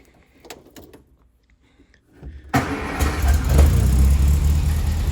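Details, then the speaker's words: 1960 MGA 1600 roadster barn find, no coolant in engine, before ignition parts replaced; quiet, then catches after about 2.5 seconds and settles into a steady, even low idle; doesn't sound bad; normal start and idle. "as you can see, it does still run. It doesn't sound that bad,"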